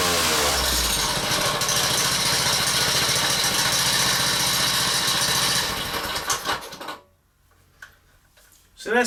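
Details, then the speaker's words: Honda-engined whacker plate at tickover on a cushion: fast metallic tinkle about three or four a second that disappears when the centrifugal clutch is removed; clutch loose on the shaft with a worn woodruff key. "now when the engine was tinking over and this Central Fugal clutch here was attached you could hear a tinkling noise"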